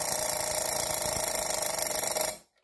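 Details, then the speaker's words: Small Chronotechna Czechoslovakian alarm clock with torsion springs, alarm just wound; fast, even metallic hammering of the clapper on the bell for about two seconds, then stops dead; the alarm works normally. "oh yeah and if you're curious about what the alarm sounds like it's literally this hold on let me wind this real quick"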